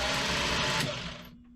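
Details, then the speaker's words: Sailboat electric bow thruster after brush work, test in short bursts both directions: busy motor whir with gear buzz running briefly then spinning down; thruster running freely and moving the boat. "Other way. It's moving because it's moving the boat."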